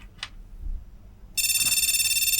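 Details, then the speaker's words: Flea-market retro PC motherboard powered on with no RAM installed after failed capacitors were replaced: quiet, then a continuous rapid warbling beep at power-on. POST beep code for no memory installed. "nothing exploding anymore but it's making noises"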